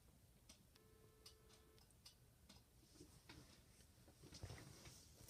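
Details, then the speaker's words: Panasonic TA824 hybrid PBX ringing an extension during a dial-pulse call: quiet, light ticks repeat a few times a second as the PBX sends out the ringing current; normal operation. "let's notice when you hear anything else hear any noises from the PBX it's actually sending out the current for the ringing signal"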